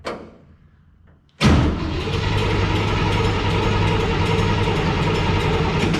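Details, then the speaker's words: International rat rod truck being cranked after exhaust was hung and master cylinder mounted, carb not yet rebuilt: after a pause it spins over with a steady, uneven mechanical clatter under the cranking drone; abnormal noise, source unclear. "What is that noise?"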